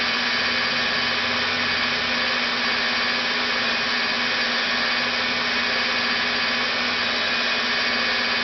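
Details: Rebuilt NetGain WarP 9 DC motor seating new National T300 brushes, idled by an EVNetics Soliton1 after about 40 hours of running. Even hum with steady brush hiss near 950 rpm, no sag yet, just before it unexpectedly drops below 900. Normal idle.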